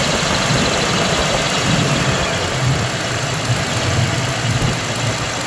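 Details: 1993 Ford Ranger 3.0 V6 loud idle with slightly uneven, stumbling beat under steady drone; one cylinder dropping out, owner suspects cylinder 3, not confirmed.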